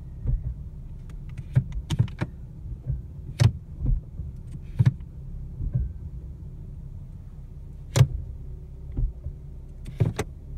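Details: New 2017 Ford Mustang V6 automatic, about 580 miles: sharp single clunks a second or two apart over a quiet idle when shifting P to R, D or S; dealer replaced a defective driveshaft flange and tightened gear play, cause unconfirmed.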